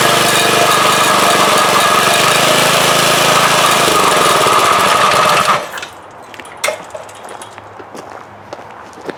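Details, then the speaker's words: Front-tine rototiller after swapping an old 3 hp for a 4 hp Briggs & Stratton lawnmower engine: small single-cylinder runs steady and even, then shuts off and ticks down; engine runs good, though the belt seems too tight as tines move without the lever. "so I may have to change the belt to a looser belt or change the pulley but does work runs good"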